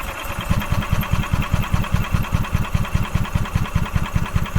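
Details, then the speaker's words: 2012 EZGO TXT gas golf cart with Kawasaki engine: even starter chugging about 2.5 strokes a second, never fires; fuel smell, fuel pump seen pumping but fuel not getting past the carb; carburetor suspected blocked, unconfirmed; crank no start. "all right so it's not getting fuel's not getting past the carb I'm I'm willing to bet the carbs blocked without question"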